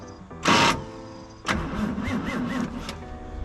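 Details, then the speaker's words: 1973 Toyota Land Cruiser FJ55, coil disconnected, in gear, moved only on the starter. A burst, then the starter cranks and labors in uneven pulses as the truck creeps: clutch held disengaged because the slave cylinder pushrod is too long. "i figured it out this pin right here is too long and it's keeping the clutch disengaged and not allowing the pressure plate to use the clutch"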